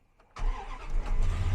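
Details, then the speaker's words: 1999 Dodge V8 pickup, bought sight unseen as a non-runner, cold start with no foot on the gas: brief crank, then it fires right up into a deep, even rumble with no stumbling; healthy cold start. "man fired right up didn't have to didn't touch the gas don't have the foot on the gas yet yeah she's ready"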